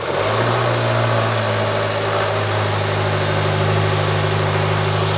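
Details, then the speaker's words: 2020 Land Rover Evoque 2.0L turbo after repair of its common engine rattle, involving a sprocket: steady even idle hum with no rattle or clatter over it; the rattle appears fixed. "be the judge. We'll put the two clips next to each other, but it sounds pretty good to me. So it looks like we got this one fixed."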